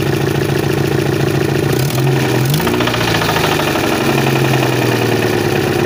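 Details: 1992 Chevette engine running: uneven knocking roughly four a second over a steady running engine, with a brief rev in the middle; source of the noise unknown.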